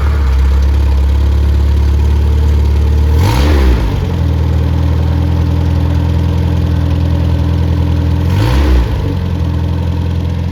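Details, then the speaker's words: Freshly rebuilt MG Midget 1500 engine (also fits Triumph Spitfire) with turned crank, new bearings, 270 cam, flat-top pistons, ~9.5:1 compression, 175–185 psi: steady even idle, two clean throttle blips, no knocks or ticks; healthy. "it's just like a light new engine and uh it runs like it and so I'm going to fire it up here in a minute"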